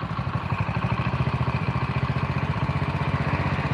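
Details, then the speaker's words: Honda Win single after rebuild and clutch rubber and bushing modification, idling at about 1500 rpm: steady, even putter with only slight unevenness and no heavy knock; idles fine. "Ora gemblodok nemen ning yo, ora halus nemen lah. Semene Mas. Di RPM 1500 suaranya kayak gini."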